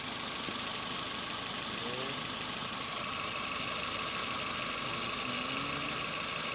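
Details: Nissan Almera running after cylinder head work: a quiet, even idle behind some hiss, with the blower running. No knocks or misses, no overheating or hard start; the engine runs smoothly.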